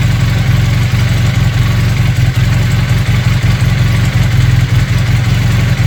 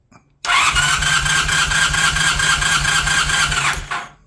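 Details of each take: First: Honda CB400T Dream twin after service: lumpy, uneven low beat that stumbles now and then; carburettors badly unsynchronized, right carb way off. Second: Honda CB400T Dream twin during a compression test, throttle wide open: steady, even starter cranking for about three seconds with a regular pulse, no stumble; readings 120 and just over 115, healthy normal cranking.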